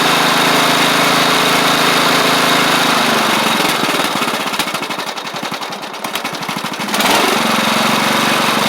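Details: Replacement engine with new head gasket on a Troy-Bilt Pony rider (the original seized, likely from running without oil): even, steady beat that drops away and picks back up cleanly with throttle, no knock or miss. It runs healthy, with slight startup smoke that is less at low throttle.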